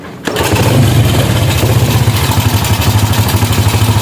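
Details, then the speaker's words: Supra motorcycle started after refuelling and a new spark plug: uneven pulsing idle that won't hold and stalls unless the throttle is held, with a noisy, rattling engine. "idle tidak stabil, tidak bisa mempertahankan putaran idle. Jika Anda melepaskan pedal gas, mesin akan mati."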